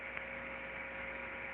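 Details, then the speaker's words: Gear reducer heard through ultrasound before the defect developed: smooth, steady hiss with a faint constant hum and no clicks or impacts; signal is smooth, normal running. "aqui o redutor é antes de ter o defeito depois de ter o defeito por favor sinal é liso né"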